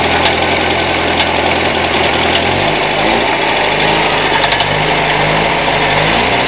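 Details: UZAM 1.5 engine: idle with a quick rev; faint, irregular light tapping over the engine note, a knock from inside the engine, source not yet pinned down.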